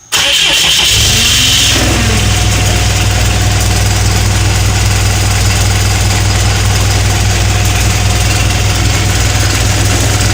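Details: ISB170 engine after replacing the FCA and FRPV; there are no more leaks, but it still idles rough. It starts, then settles to a lumpy, uneven throb of about 2.5 pulses per second. Cause suspected, not confirmed.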